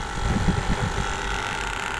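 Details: Nagakawa 1 HP air conditioner outdoor unit, compressor had not been running (suspected bad capacitor, reading about 39 µF); steady low hum with faint constant tone and some wind over the mic, now running normally.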